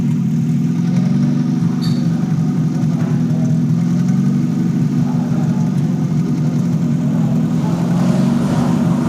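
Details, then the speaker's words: Toyota Corolla XLi/GLi converted from diesel to petrol, after fixing a cam/crank sensor signal fault that caused long cranking and stalling, silencer removed: even, steady idle hum with no stumbles, running smooth. "ठीक है गाड़ी अभी idol प start खड़ी हुई है और बिल्कुल स्मूथ है"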